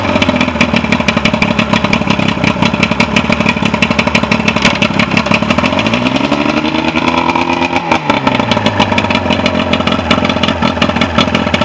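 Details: Mercury 125 outboard that had sat, after used stator, rebuilt carburetors, new spark plugs, fuel pump kit and fuel filter: runs evenly with steady rapid firing beat and one smooth throttle blip midway; clean, no misfire.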